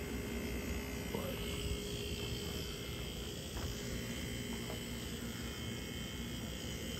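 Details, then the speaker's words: Refurbished 8,000 BTU window air conditioner, Quiet Master with reciprocating compressor, on high fan: soft, steady fan hush over a low even compressor hum, no rattles, very quiet normal running. "thing runs very quiet. It's probably the quietest one I got."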